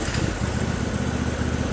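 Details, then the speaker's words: Dr Chipper wood chipper with an 18hp Briggs & Stratton Vanguard V-twin after a no-start traced to a clogged original fuel filter, now replaced: even, quick low pulsing at constant pitch with no stumbles or misses; runs normally. "now that's what it was it was that filter we're not letting fuel through there a new fuel filter did it"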